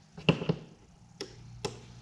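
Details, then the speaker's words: Automotive relay bench test, 12 V jump pack on terminals 85 and 86: sharp single clicks, five in about two seconds, as the coil energises and the switch moves; click alone doesn't prove contacts are good. "if you guys can hear that or not, but when I touch them, you'll hear a click. That's the switch inside. That's telling me that the coil inside is energizing, it is creating the magnetic field, and the switch is moving."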